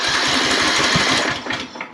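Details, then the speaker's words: Craftsman LT3000 lawn tractor, no-start with spark and compression, starting fluid in carburetor: quick even cranking chatter that never catches then dies; won't fire, intake valve found not opening or closing. "let's give it a couple squirts don't do much just a little bit and then crank it over sounds like he wants to do something"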